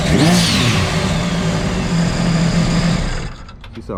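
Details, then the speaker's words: Sea-Doo RXT 260 after full overhaul (rebuilt supercharger, new motor mounts, carbon seal, bellow boot, blow-off valve, intercooler, flashed) on the water: strong, clean engine note pulling smoothly and holding steady under load, no misses or knocks; runs healthy, reading 77. "sounds good she runs good too 77."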